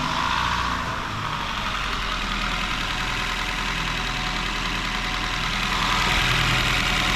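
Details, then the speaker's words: Warm idle of a 2017 Honda Shuttle hybrid whose owner complains of valve rattle when cold: smooth, quiet, even soft hum with no valvetrain ticking or tapping. Sounds normal hot; a cold check is still needed. "Да вообще шепчет. Клапановка, да? Пока нормально работает, в принципе. Ага. Ничего такого лишнего не слышу."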